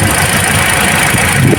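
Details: Toyota Altis shaking and low on power: rough, uneven idle with a lumpy beat and no change when the number one coil is pulled, showing a dead cylinder. The ignition coil is faulty.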